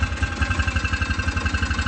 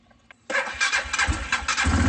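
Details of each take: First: Hisun Vector 500 4x4 UTV idling after replacing the auto air control valve: single-cylinder thumping idle, rpm dipping and coming back up in a slow hunting pattern; surging persists. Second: Hisun Vector 500 4x4 UTV: a few quick cranking bursts, then it catches and settles into an even, steady thumping idle of about three beats a second.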